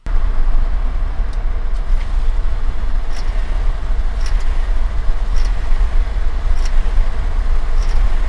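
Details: Subaru, warm engine only (worse in summer): faint sharp chirps about once a second under load in gear, at 1.8k–2.5k rpm when accelerating or after a shift with clutch out, especially 2nd, 4th, 5th gear; none when revving in neutral; from engine area/underneath.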